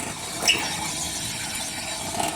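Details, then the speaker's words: 2004 Ford Explorer Sport Trac front hub turned by hand: rough gritty grinding with ratchet-like clicks from a failed, seized wheel bearing, possibly some rotor; fixed by replacing the spindle assembly and rotor. "Definitely looks like a bad bearing. There might be a little bit of rotor. But definitely, yeah, that's really bad. So if you hear that sound coming from either side of your Sport Track, it's more than likely."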